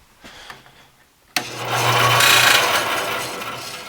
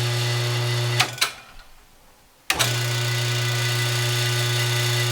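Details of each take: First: Busy Bee B324 bandsaw after installing new 6202ZZ bearings in motor and wheels, blade tension adjusted: motor starts into harsh hissing rasp with scraping over hum; blade dragging on guide bearing, motor also noisy. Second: Busy Bee B324 bandsaw motor after installing new 6202ZZ bearings, previously making terrible noise from cooked bearings: spins up to smooth steady hum, coasts down quietly, no rumble or grinding.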